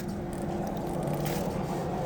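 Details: Adventure motorcycle at a gas station after chain tightened from very loose; rough scraping drag rising and falling as wheel turns; chain too tight binding on the sprocket, rear sprocket teeth suspected worn.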